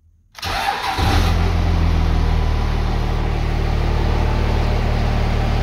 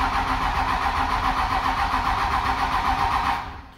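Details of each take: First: 1998 Dodge Ram 5.9L 24-valve Cummins with VP44 pump, during crank-no-start diagnosis, warming a component with heat gun: diesel catches right away, blips up around seven seconds, then settles to steady even idle clatter. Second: 1998 Dodge Ram, 5.9 Cummins 24-valve with VP44 pump: steady starter cranking about four turns a second with no firing, then stops; crank no start, wait-to-start light blinks; faulty engine control module not running fuel system.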